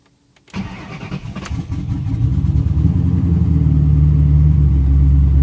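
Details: First start after a vacuum leak was fixed. Engine cranks, catches quickly, flares briefly, then settles into a smooth, steady idle with no hiss or hunting. Normal start and idle.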